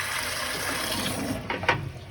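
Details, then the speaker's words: Burnham Independence gas steam boiler service call, water heater drained through a hose on the bottom drain valve, fully open: steady rushing water with a gritty hiss and a couple of sharp pops as sediment flushes out; tank drain flush. "all right what's that sound what sound it's all the crap at the bottom of the heater fully open"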